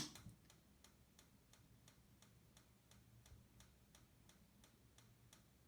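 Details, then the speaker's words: 69 Fireball RV appliance switched from AC/DC to gas in auto mode: sharp even clicks about three per second over a faint hum as the igniter sparks outside, stopping once the gas lights; normal ignition. "and then you press the auto button and it'll switch over to gas you'll hear it clicking as its igniting outside"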